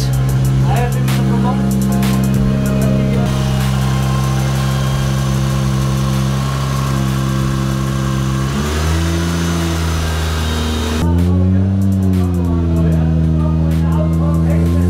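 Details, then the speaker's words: Nissan S13 240SX with a 1JZ swap, R155 gearbox and custom driveshaft, after fixing an exhaust leak: a smooth, deep six-cylinder drone, steady then rising cleanly on a couple of blips, no puffing or chuffing. The exhaust is sealed and sounds right. "the SX isn't leaking anymore and the exhaust yeah it sounds like it's supposed to be"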